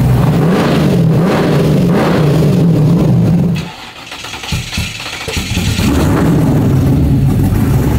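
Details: 1970.5 Camaro Z/28 drag car, LS6 V8 on FT550 EFI, TPS-based tune, wasted spark, on hub dyno; revs hard, drops off, picks up unevenly, lumpy and off-note; timing suspected about 20° off; incorrect ignition timing.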